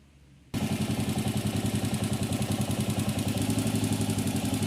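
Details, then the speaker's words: Honda CG 125 single-cylinder that had loud top-end tapping worsening with revs from wear, after the repair: even steady idle beat with no tapping; normal idle. "Aí galera, como vocês podem ver, ó, acabou o barulho, né?"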